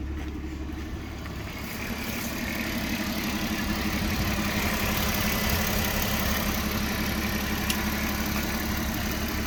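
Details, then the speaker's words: 2006 Porsche Cayenne with new spark plugs and coils that still shakes at idle. Low idle with a faint, fairly regular stumble about three times a second. Owner hears a noise at the throttle body and suspects a vacuum leak or misfire; unconfirmed. "New spark plugs, new coil plugs, and still is engine shaking. Make sound here in the body trotty."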